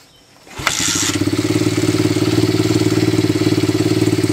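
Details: Honda XL70 pit bike fitted with a Chinese 125 engine, fuel on and choke on: engine catches after a short crank and settles into a steady, slightly uneven thumping idle; running, though not yet perfectly smooth.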